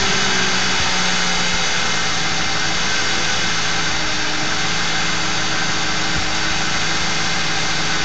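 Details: Ford 4.6 V8 at idle with failed Prime Guard oil filter anti-drainback valve: steady buzz over even idle, no knock or tick; a replacement filter of the same brand gave the same buzz, torque converter or transmission front pump also suspected.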